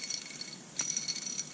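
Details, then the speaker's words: 394 chainsaw, about 20 years old, case split after a bad seal: main bearing spun by hand gives a gritty, crackly rattle with uneven ticking and lots of play; worn-out main bearings. "oh yeah play lots of it noisy it's got the crunchies see about this one yeah playing this one too ooh yuck"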